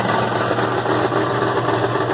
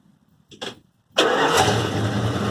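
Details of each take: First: 1974 Dodge Power Wagon at loud, raspy idle: a fast buzzing rattle rides on the exhaust note and stops when the back of the muffler is squeezed. The worn-out muffler is the cause and is replaced. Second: 1974 Dodge Power Wagon after replacing a muffler that had a hole and rattled: starts promptly and settles to an even, steady idle with a deep, smooth exhaust note, no rattle or blowing; much better, exhaust repaired.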